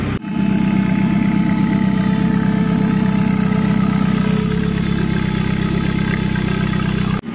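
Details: Commer van with 2.3 turbo, old external fuel pump before in-tank conversion: thin steady high tone over the even idle that doesn't follow engine speed; noisy external fuel pump whine.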